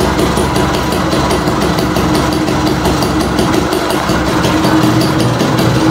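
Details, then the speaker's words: 1958 DKW Hummel 50cc two-stroke, restored from scrap, mostly original parts, started cold without warm-up: rapid, even burble with a crisp exhaust and no misses or knocks, engine fairly smooth; normal idle. "suaranya knalpotnya lebih garing suaranya mesinnya cukup halus ya"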